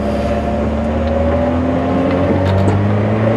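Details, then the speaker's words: Honda car, likely the Prelude, heard while driving with an aftermarket exhaust that is subtle, a little louder than OEM. Steady, mellow, even rumble with no rasp or leaks. Healthy exhaust note. "now I'm not exhausting that loud I like it very subtle a little above OEM"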